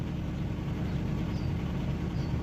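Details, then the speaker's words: BMW E36 at idle, heard from inside the car: a steady low idle with a faint light rattle, less than before. VANOS was ruled out; the owner suspects the alternator. Not confirmed. "Well, I'm sitting in the car now and I'm I'm listening to the engine. There's There's a little bit of It's not a lot as before, but it's there."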